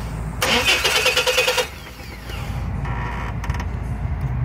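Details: 2001 Chevy S10 4.3 litre, starter cranks fast and steady for just over a second, then stops without catching; spark present at coil; no-start caused by a loose distributor cap with a slipping, damaged screw.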